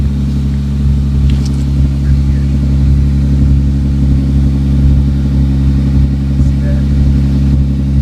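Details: 1998 Toyota Sienna at idle with exhaust pouring out the side near the muffler as well as the tailpipe: a loud, chuffing low rumble, rougher than a sealed system, from an exhaust leak at the muffler.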